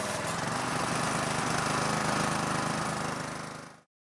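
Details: Honda GCV 160 small engine just after spark plug replacement (new plug, hand tight plus half turn, connector reconnected); steady, even putter for a few seconds before stopping, no misfires or knocking, healthy.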